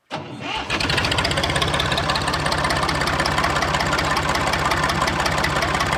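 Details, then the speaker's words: Massey 2500 tractor forklift diesel; quick crank, catches at once and settles into a steady, even diesel clatter near 170 beats a minute; normal diesel start and idle. "Now I'm gonna take her for a rip, but she runs good, eh? Let's hear it again."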